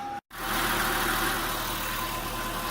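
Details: 1996 Audi A6 C4, 2.6 ABS engine, after fixing lifter knock and low oil pressure by replacing the oil pickup tube and bent screen and cleaning the sump: smooth steady idle, no lifter tapping, pressure normalized.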